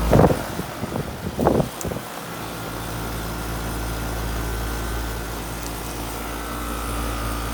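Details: AC condenser unit after bad capacitor replaced on a no-cooling call: a few clunks at start-up, then fan and compressor settle into a steady, even hum; normal running.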